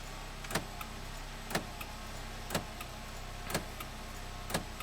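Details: 2009 Nissan Sentra 2.0 L, engine idling with headlights on, returned with flickering headlights: sharp, even click about once a second; a relay clicking.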